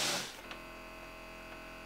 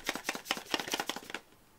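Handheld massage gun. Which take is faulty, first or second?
second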